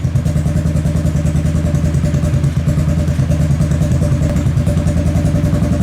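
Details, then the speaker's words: Kawasaki KFX700 V-twin quad on fresh gas, after months sitting, idles with an uneven, lumpy beat and irregular thumps: intermittent misfire or intake backfire. Carb cleaned, spark confirmed, timing chain checked; owner suspects stuck valve or timing chain. "So it still has the misfire or whatever it is, the backfire into the intake. It sounds like a misfire. It sounds like it's backfiring into the intake."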